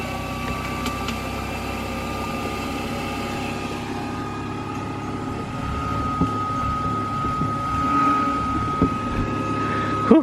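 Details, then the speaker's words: Replacement micro hydro PMA generator unit, lid closed to check clearance: steady even hum with constant high tone, no scraping or rubbing; spinning cleanly and quiet, though leaks remain. "I think we got by. Just barely though. And it's quiet, just as we had hoped."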